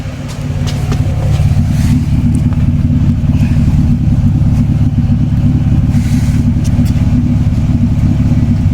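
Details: Toyota Cressida MX83, new temporary exhaust (before a planned turbo-back system) heard from the rear at the tailpipe: deep, even burble with a steady low pulse, no rasp or drone; a quiet, healthy exhaust at idle.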